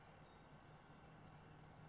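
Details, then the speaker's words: Cinematronics Rip Off Italian clone (Microhard) vector arcade monitor at power-on after repairing the failed transistor and capacitor in the primary oscillator circuit: rails at +18/−18 V, steady low hum with faint high whine; normal vector noise from the yoke coils. "Voltages look good, plus 18 and minus 18, and I can hear the vector noise coming from the yoke coils."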